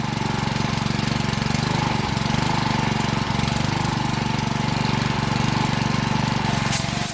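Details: Honda 6 hp pressure washer engine, sat outside 2–4 years with suspected water in the gas tank, after oil, gas and spark plug change and carburetor cleaning: steady, even single-cylinder putter at constant speed, no misses or knocks; runs properly.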